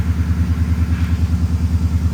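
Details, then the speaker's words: 2002 supercharged Ford F-150 Harley-Davidson V8 just after a new oil pump, not yet warmed up: deep, even burble pulsing steadily with no timing chain rattle or clatter; healthy idle with good oil pressure. "Overlook power steering pump. Sounds good. Oil pressure's up there. That oil pressure's pretty good there."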